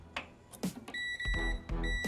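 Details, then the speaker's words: Panasonic Style Grill NN-GT6845 microwave that would not switch on and kept blowing its fuse: the multimeter on continuity gives two steady high-pitched beeps across the capacitor, confirming it is shorted as suspected. "E aí ó e como suspeitava o capacitor está em curto Olha viu tá em curto o capacitor"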